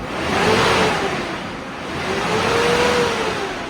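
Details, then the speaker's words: 2002 GMC Envoy with code P0495 cooling fan RPM too high; loud jet-like roar of rushing air swelling and fading over the engine, and the fan stops abruptly at shutdown; fan clutch bad, stuck engaged. "Got an extremely loud cooling fan. Let's take a look when we shut it off here. So you see how it stopped just like that? So it's another confirmation that the fan clutch is bad."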